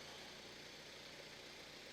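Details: Mazda MX5 NC (Copart car) after first start, no smoke, sounding less agricultural than the previous MX5: quiet steady idle with even beat, no knocks, misses or rattles; healthy.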